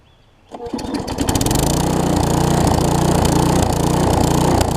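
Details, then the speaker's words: Newer Tecumseh vertical-shaft engine on a 20-inch weed trimmer after generic aftermarket carburetor replacement: catches and runs up, then speed swells and drops steadily with no load, smoothing once trimmer engaged; surging from running with no load. "i went ahead and replaced this but you will hear this thing does surge and like i said it's because there's no load on the engine whenever it's running until you engage the weed trimmer portion of it"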